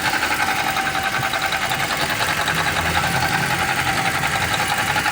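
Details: Toyota Rush petrol engine idling with a fast, rough whirring chatter from a worn water pump bearing; the drive belt was removed and each pulley spun by hand to find the parts to replace.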